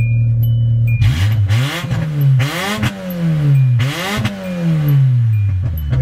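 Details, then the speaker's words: Standard-model vehicle revved before its new exhaust is fitted: harsh, booming exhaust rising and falling with each rev, far too loud; the old exhaust is no longer muffling the engine. "I mean, try to get to the airport when it sounds like that, people."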